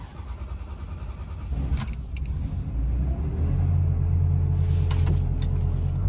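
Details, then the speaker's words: Ferrari 360 cold start: catches with a stumble and splutters, with unstable revs rising and falling. Fixed by cleaning the dirty MAF sensors. "ago so you'll see the revs were really unstable it wasn't revving properly uh the engine was spluttering so i thought i'd try and work out what might be the problem and what's causing this issue"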